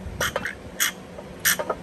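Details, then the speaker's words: Oil pump from a VW GLI whose oiling system is being replaced (dented oil pan, plastic pieces in the pickup tube, low oil pressure), turned by hand: rough, dry, raspy squeaks in bursts. The pump is judged bad and binned. "you hear that that doesn't sound good so i'm not going to use that that's going to go in the trash"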